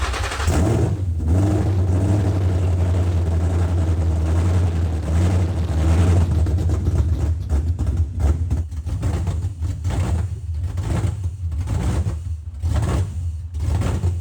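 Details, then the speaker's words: Car V8 on first start after fuel system primed: very loud, unmuffled engine thrums unevenly at low revs, then the beat falters and breaks up; rough idle, stalled about 15 seconds after starting. "well it ran so that something I mean sure it was horrendously loud it idled horribly and then shut off like 15 seconds after we started it but hey it's a start"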